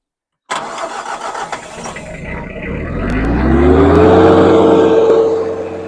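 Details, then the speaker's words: Farm tractor with mower on a 100°F-plus heat-index day in southwest Minnesota, restarted after clearing grass wrapped around the blades: engine catches right away, revs climb smoothly into a steady even drone as the mower spins up; running normally. "So I'll get this thing fired up and we'll see what it sounds like here."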